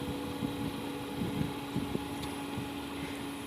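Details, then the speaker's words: Carrier Greenspeed 3-ton variable-speed heat pump in cooling mode, turned down to low speed, compressor at about 3,000 RPM, fan slowed: soft, even hum with a faint steady tone and gentle fan whoosh, no knocks or rattles; normal quiet running. "it's running about 3,000 RPM on the compressor the fans uh slowed down [Music] it's very quiet it's amazingly"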